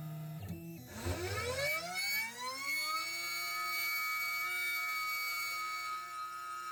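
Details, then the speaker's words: Coolant pump for a 1.5kW water-cooled spindle on a Genmitsu CNC, deionized water circulating, no leaks: spins up with rising hum then settles into steady even whir, no rattle or gurgle; normal pump running. "Okay, we have the water system set up, and I don't know if you can hear that running. The pump is running, and if you look really closely, you can see there's actually water moving."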